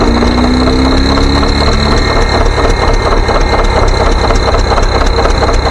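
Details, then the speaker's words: John Deere 720 diesel's four-cylinder pony starter engine with plug wires on only the two front cylinders, before new ignition coils: loud, lumpy, uneven chugging of about 85 pulses a minute; running on two of four cylinders. "so we're only running it on two cylinders but believe it or not it's got enough power to to start the engine up"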